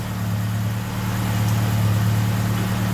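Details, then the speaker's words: 41-year-old Ford Capri, Pinto engine, Ashley 4-branch manifold, after replacing the blowing exhaust manifold gaskets: smooth, even idle with a steady low hum and no puffing or ticking from the manifold; the exhaust is fixed, and the car then passed its MOT. "so that's it exhaust all sorted out and fixed and she's now got a fresh mot so we are good for another year"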